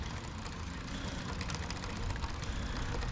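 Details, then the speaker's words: Lectric XP e-bike, wheel lifted and spun freely after brake adjustment to stop rubbing: light, quick ticking chain rattle with no rubbing or scraping; rear rotor slightly bent but no longer rubs; drive sounds normal. "and then that's just the chain you hear going so it seems to have stopped that noise"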